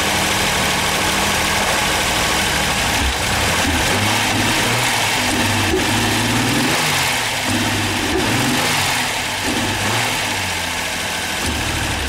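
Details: Ford Sierra V6 cold start with bad fuel injectors: uneven, lumpy beat with wandering revs, idle hunting up and down; rough running from the injectors.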